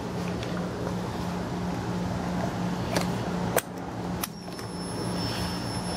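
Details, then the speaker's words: Motorcycle, build date 06, guessed under 10,000 miles, needs starter cover: low, steady, even engine hum with a few handling clicks; runs extremely well, no smoke. "does run extremely good doesn't smoke or anything like that"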